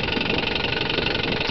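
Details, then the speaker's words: 1963 Johnson 5.5hp Seahorse twin-cylinder two-stroke outboard on a 1978 Sea King 12' boat, idling while cruising: quick, even patter with a light buzz, no misses or knocks, purring like a sewing machine; normal idle. "And behind me in the back you can hear purring away like a sewing machine the engine here."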